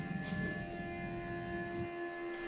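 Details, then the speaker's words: 2008 BMW 335i E92 N54 six-speed that will not start, with the car completely off: steady whirring fan keeps running; no connection to the DME found, cause unclear. "Now listen to this really strange noise that happens when the car's completely off. Weird."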